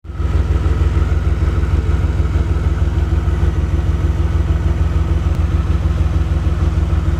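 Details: DeLorean warmed up, dwell meter being hooked up for a reading: low, loping idle with uneven pulse around three beats a second that never settles smooth; rough idle.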